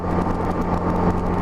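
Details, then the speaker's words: Honda GL1200 Gold Wing after Honda Service Bulletin #10 carburetor kit fixing low-speed partial-throttle hesitation: steady drone under light throttle with even beat, no stutter or missing; carburetion healthy. "it goes up so smooth I don't know if you can hear that but I was accelerating up just light throttle but it's not stuttering one bit"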